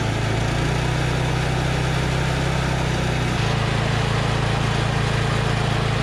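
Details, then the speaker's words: Husqvarna Z246 zero-turn mower with a governor that isn't working, warmed up after a full-choke start: a steady drone whose pitch barely follows the throttle lever, and full throttle seems too low. Linkage misadjustment is suspected, not confirmed. "As I'm working the throttle lever up and down, it's not really affecting RPM. And full throttle doesn't seem like enough full throttle either. So that's funky."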